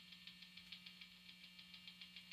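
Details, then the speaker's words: Stratocaster neck single-coil pickup, volume full, through two overdrives, dummy coil off: steady low hum with fizzy buzz pulsing about six times a second; mains hum, nearly eliminated when dummy coil engaged. "So here we are just idling, volume turned all the way up. We're in the neck position. There's my noise."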